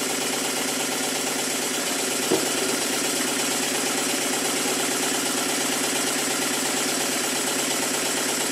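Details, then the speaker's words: Rebuilt circa-1896 model steam engine with a weak, thin crank pin that wobbles; pinned and Loctited crank webs: fast, even chuffing with light mechanical clatter, no knock or bang, run at various speeds; smooth running. "And it works very well indeed. It doesn't knock. It doesn't bang, but the crankshaft is still very weak and it's wobbling about around the area of the crank pin."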